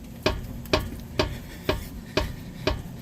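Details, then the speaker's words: Acura RSX front wheel off the ground, rocked by hand: six sharp clunks about twice a second from a badly worn ball joint. "So when you tug it back and forth from the left and right positions, if you have a clunking, it's either your ball joint there or your tie rods up top."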